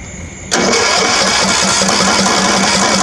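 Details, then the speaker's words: Free Craftsman riding mower, perhaps 19 horsepower, after draining old gas from tank and bowl and adding fresh fuel, carburetor not yet cleaned: catches abruptly, runs loud and ragged with uneven beat; rough running, dirty carburetor. "it ran last night but pretty crappy and the inside looks pretty good"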